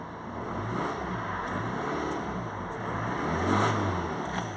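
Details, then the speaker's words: 2014 Citroen C4 Picasso 1.6 diesel that wouldn't start without priming after running out of fuel; with new filter head fitted, fires promptly and settles into even quiet idle with a light rev blip. "runs fine now well I I don't know if it runs fine but it's starting fine"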